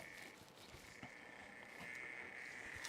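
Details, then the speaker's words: PC tower with an AIO cooler: faint irregular croaking over a thin high tone, first blamed on the AIO, then judged a fan changing speed, a very odd noise for a fan; cause suspected, not confirmed. "oh yeah i think it's the fans oh yeah yeah definitely it's that fan that's a that's a very odd noise for a fan to make"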